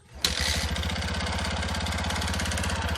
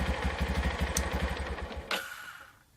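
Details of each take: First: Yamaha Jupiter MX 5-speed before repair, with a previously fitted iron bore sleeve and a leaking engine. Revving single with a coarse, uneven "klotok" clatter under the exhaust beat, dying away at shutoff; piston slap in a loose, off-center sleeve. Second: Yamaha Jupiter MX 5-speed, left sitting two years after an improper piston job and burning a bottle of oil a week, now idling with a new cylinder block fitted. An even single-cylinder beat with no knock or rattle, then shut off; healthy.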